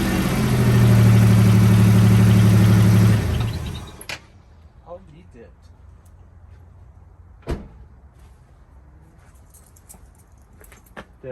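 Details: 1995 Toyota 4Runner 3.0 V6 shaking with a misfire, uneven lumpy idle with regular stumble about three per second, then the engine shuts off; belt squeak and exhaust leak present; fuel ruled out, a bad spark plug wire suspected.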